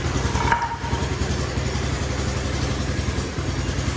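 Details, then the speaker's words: Honda G200-powered bocart off-road buggy, first start after sitting six years, spark checked and fresh fuel added; low single-cylinder thump idles lumpy with an uneven, hunting beat and occasional stumbles. "Okay, she's a little bit lumpy. She looks good."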